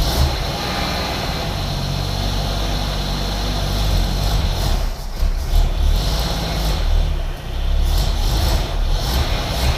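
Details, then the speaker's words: 1981 AMC Eagle sedan engine, cold, after adjusting distributor timing advance: low steady idle with slight rise and fall in speed, smoother than before; timing issue suspected, not confirmed. "but definitely idling better and so I think we're back on the right track here now"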